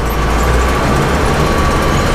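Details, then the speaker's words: Gleaner combine being revived for first harvest in about 20 years, after raddle chain and bearing replacement, run up: steady low drone with an even smooth mechanical hum, no clanging or banging; running quiet and healthy. "just as quiet as can be no clanging no banging"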